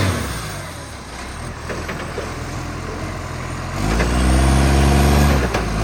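A deep diesel rumble swells as the truck pulls away, with a rough, raspy puffing over it that suggests a large exhaust leak.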